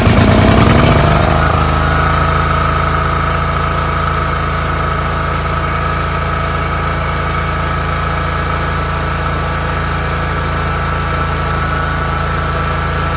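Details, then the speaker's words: Scag Tiger Cub 48" commercial zero-turn mower with a start-and-stall fault, after reattaching the loose choke flap linkage: a brief start-up surge, then a steady, even engine note with no misses or knocks. Normal running, called fixed. "I don't know fellas I'd call that pretty fixed"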